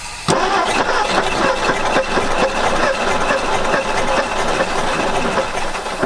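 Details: 1960 Ford F100 panel truck revived after 40 years, carburetor now fed from a fuel source, starting fluid used: catches and runs ragged, uneven lumpy beats, seemingly firing on only some cylinders; owners suspect low compression from stuck rings.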